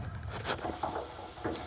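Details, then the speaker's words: Whirlpool gas water heater after thermocouple replacement using a reverse-threaded nut: irregular soft crackles and small pops from the burner flame, no roar or whine; burning normally, problem fixed. "the hot water heater as you can hear it crackling and popping and burnin it's good to go"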